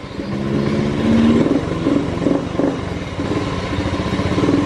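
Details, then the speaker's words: Honda Beat FI scooter that stumbled and would not idle; after unplugging a sensor judged faulty it starts straight away, idles steadily and answers throttle blips cleanly; normal idle and throttle response. "coba ini out-nya cabut j&t motor langsung hidup Langsa blog ampuh langsung langsung enak loh stabil gas ya"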